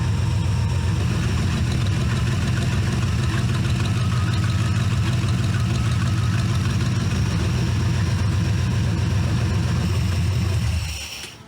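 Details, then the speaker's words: C4 Corvette-based kart V8 after a tune-up, warming up before the timing is checked: an even, steady idle with a smooth low rumble and no misses or ticks before shutting off. Normal idle. "Like a sewing machine, just like I promised."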